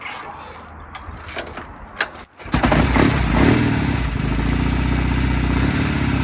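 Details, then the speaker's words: 1969 Norton Commando Fastback, first start after winter lay-up, with the wet sump drained, fresh Miller 20-50 oil and a freshly charged battery, at about 17°: a few kick clunks, then the twin catches and settles into a steady, deep idle. It is running normally. "Ooh, she fired. Or barked. Just going to give her another tickle. She's definitely barking."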